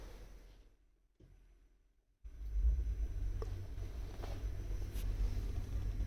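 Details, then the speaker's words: 15 kW air-cooled permanent-magnet electric inboard, direct drive with no gearbox on the original 18-inch prop in a heavy motor cruiser, at 230 rpm: soft, steady low hum with no knock or whine; very quiet, normal low-speed running. "that's 230. And you can hear it's really silent, almost no noise."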